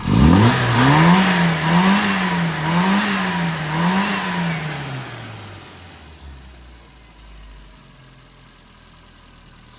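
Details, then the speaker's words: Carburetted petrol engine, carb loose then tightened but still leaking at carb-to-manifold, fueling adjusted: revs rise and fall about once a second then sag to a weak idle; uneven idle from intake air leak. "As you can hear, the idle's not uh ideal, and that is because uh air leak."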